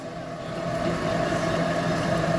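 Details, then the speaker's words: Car on lift in fifth gear with wheel spinning: opposite side quiet, this side gives a steady low metal-on-metal rumbling drone building with speed; worn driver's-side left wheel bearing growling. "o barulho de ferro com ferro. Tá escutando? Pegou a visão? Rolamento esquerdo do motorista."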